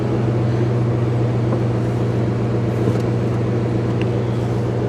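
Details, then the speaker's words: 1998 Jeep Grand Cherokee Laredo after fuel tank replacement, running on about three gallons of fuel: steady, even low hum with no knocks, misses or surging; sounds healthy. "wow that sounds good that sounds real good"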